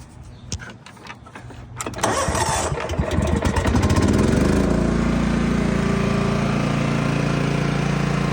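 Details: John Deere GT225 lawn tractor after fixing its no-run problem and cleanup: cranks briefly, catches cleanly and settles into a steady, even idle with no misses. Runs and drives nicely and fires easily.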